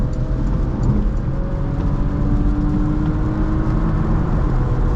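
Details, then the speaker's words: 2015 Porsche Macan S, 3.0 V6, about 10 years old, driving on wet road and downshifting a few gears: smooth, even engine note rising and falling, pitch climbing cleanly with revs, no knocks or rattles; pulls very nicely, sounds healthy. "It sounds lovely. It pulls very nicely. I I will say this car does pull very nicely."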